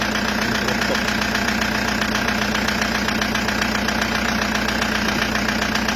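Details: Toyota Hiace 2KD diesel at idle: a steady regular knock two to three times a second from a scratched number 3 piston and cylinder liner, found after checking injectors. It was fixed by an engine overhaul with the cylinder bored 0.50 oversize.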